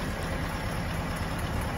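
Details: Willys L134 flathead Jeep after a head gasket replacement and a 4–5 mile drive: steady, even, low idle rumble with no knocks, misses or ticks; settled and idling normally.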